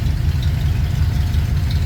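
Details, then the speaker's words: Ford F100 with FE V8 idling on a 95° day after a restart following the starter failure, choke eased off: deep, even rumble with steady firing pulses, no knocks or rattles. Normal idle. "Take off the choke a little bit. Give it some gas. pull the choke back out. And these FE engines, they're cold bloodooded, even on a day that's 95°."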